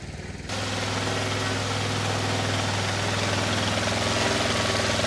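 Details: Kohler SV730S-0011 on a Bobcat zero-turn mower (Ransomes 942205) catches and settles into a steady, even beat with low drone from blades engaged via the electric PTO on a severely cracked belt; no knocks or slipping, runs normally.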